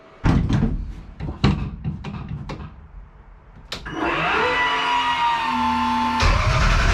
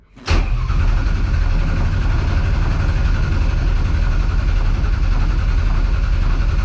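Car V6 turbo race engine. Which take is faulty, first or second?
first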